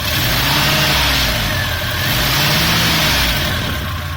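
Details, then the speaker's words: Volvo Amazon with B20 engine revved and blipped: rough, rattly clattering knock over the exhaust note; owner unsure whether it is valve noise, cause not pinned down. "There's some kind of clattering from the engine, knocking sound. I don't know if it's valve or yeah, whatever."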